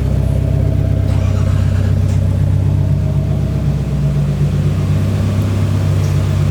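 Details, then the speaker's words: 1993 Nissan 240SX convertible bought sight-unseen, first startup in hot Arizona; deep, steady engine rumble with even pulse, no knocks or misses; sounds good, normal idle. "Hey, what do you think about the first startup? It sounds good."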